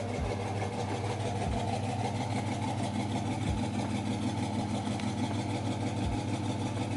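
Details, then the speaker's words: 2006 Dodge Charger 5.7L Hemi at steady idle, intermittent light tick about once a second in time with the cam; owner suspects a bad lifter on the right side, and says the engine also gives occasional small puff backfires. Compression, coils, sensors, PCV and injectors were already checked. "I mean, it's going with the cam, but I will say, I think a lifter went bad. I think a lifter went bad. And I think it's on the right side too."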